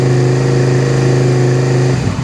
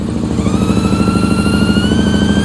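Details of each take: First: 2001 Suzuki SV650S V-twin, previously running on one cylinder from a failed fuel pump with a hardened, folded diaphragm; after fitting a new fuel pump, at idle on choke: even, steady twin beat with no skipping, both cylinders firing normally. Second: 2001 Suzuki SV650S V-twin, cold, started with starting fluid after a new front spark plug; uneven loping with gaps, running on one cylinder.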